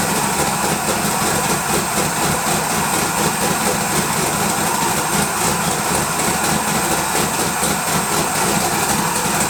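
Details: Twin-turbo LS V8 Malibu build, first start: loud steady idle with even low beat and slight intake hiss, no knocks or misses; smoke was residue burning off manifolds; runs smoothly.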